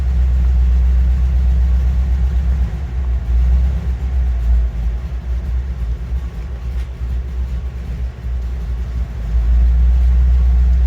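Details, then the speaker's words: 1979 MGB near operating temperature with choke taken fully off; deep lumpy rumble sagging and surging unevenly, engine not liking it. Owner suspects bad fuel or carburetor needing work; rough idle. "See if it'll take less choke. Okay, that's no choke. It's not loving it."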